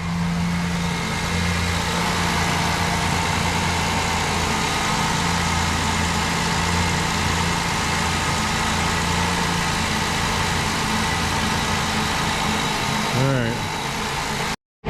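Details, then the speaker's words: Rebuilt Ford Ranger 4.0 warming up for its first run to temperature, about three minutes in; steady, even low idle hum with no misses or knocks. Steam off the exhaust pipe is from spilled oil burning off, said to be normal. "so we're just steaming off the pipe there nothing to be alarmed about it's totally normal when you dump oil all over everything"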